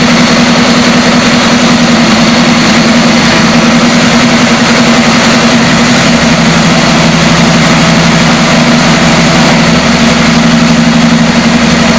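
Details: 1973 Chevy Camaro V8, first run after sitting about 9 years, revived from crank-no-start: smooth, even low rumble with steady beat, no knocks or misses; idling healthy, though it later died for unknown reason.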